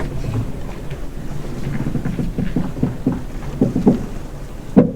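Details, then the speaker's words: High-mileage (120,000 miles) Nissan Micra with blown exhaust: uneven hollow clunks from the driver's side front corner over a low running rumble, louder toward the end; snapped driver's side coil spring. "there you go that's the coil spring that snaps on the driver's side so another another fault we've got to deal with"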